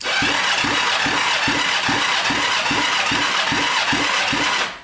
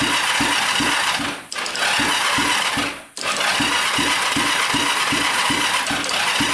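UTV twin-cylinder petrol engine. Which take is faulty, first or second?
second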